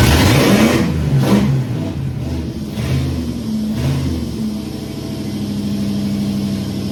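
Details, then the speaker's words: Holden VK Commodore 5.0 V8 with a loud open exhaust, which had flooded and started with the pedal floored; blips up a few times, then settles to a steady idle, firing cleanly; normal running and revving. "I think what happened there was I think it flooded and didn't want to start so foot to the boards and bingo it lit up so that issue sorted now"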